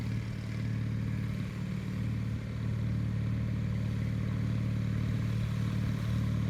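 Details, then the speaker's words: 1974 Bolens HT20 garden tractor driving on test run after replacing a coil burned out when the ignition was left on after a stall (fuel issue suspected): even low thrum, about three beats a second, no misses or surges; healthy. "so that went pretty well it's good to get the ht20 running"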